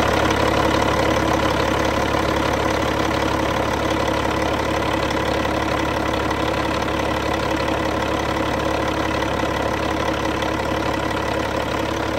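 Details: Cat C15 diesel, serial BXS25611, 900,206 km, 23,916 hours: steady, even idle with low regular chug and no knocks or misses; engine sounds fine.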